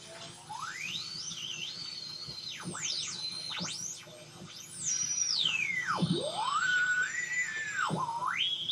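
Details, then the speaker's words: Homemade FET-based AM radio tuner with salvaged tuning capacitor and coil, long wire antenna: warbling whistles swooping in pitch, squeals and chirps, station only faintly audible; receiver oscillating. "i don't know if you can hear it just ever so faintly there there's a station coming in but what do i do about all this whistling noises that it's making"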